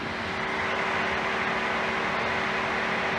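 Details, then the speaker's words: 2013 Ford F-150 with A/C on, after brief throttle: steady loud rushing roar with faint hum as cooling fans run on high speed, then drop to normal speed; complaint is high-speed fan kicking on with A/C. "going to go off in a second the ac is very cold all right there it goes just kicked off now it's on normal fan speed"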